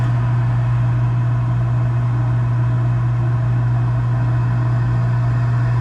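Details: Gas package unit, newly replaced draft inducer motor (old one was extremely loud, like a lawnmower), during heat call while burner failed to light: steady even low hum, no rattle, scrape or wobble; inducer running smoothly, healthy.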